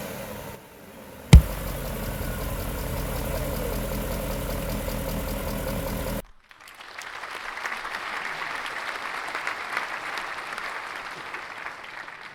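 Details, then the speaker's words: BMW M60/M62 V8 (E31/E32/E34/E38/E39), cold idle after sitting over a year: even idle with soft fan whoosh, papery flutter as fan is stopped with cardboard — viscous fan clutch slipping properly, normal. "As you can see, the engine is idling, the engine is cold, fan is spinning."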